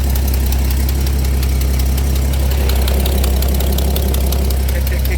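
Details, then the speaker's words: 1983 Dodge D150 V8 idling with muffler removed (mouse nest): sharp ticking about four per second over the rumbling idle from an exhaust leak at the manifold; owner may have to replace the gasket but fears breaking studs. "tick, tick, tick, tick. Yeah, I guess I might have to replace the gasket, but I'm scared I'm gonna break the studs."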